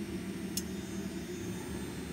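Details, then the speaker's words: Kohler K9 steam generator, Model 1659, from 2008, after repairing error 5: float switch tested and leaking pipes cleaned and soldered. Fired up with water, it gives a steady low rumble and even hiss. Boiling normally, no leak. "it's all closed up fired up water let's go seems like it's boiling there's no leak here there's no leak anywhere i hear the steam"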